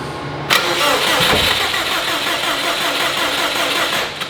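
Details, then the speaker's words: Subaru 2.5RS with an STI engine swap on a standalone ECU: the starter cranks steadily at about four turns a second but the engine never catches. The injectors are dumping fuel (full-on injector), with fuel even leaking at the up-pipe, despite leaner tuning. "cuz it seemed like it was just getting too much fuel. And I don't know why it just did what it did. It It was full on injector."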